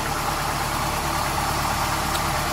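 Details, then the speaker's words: 1995 Nissan pickup at operating temperature before a compression test, after a new crankshaft seal: constant, even idle with no misses, knocks or surging; normal idle. "I've got the motor here running get it up to operating temperature good sounds good"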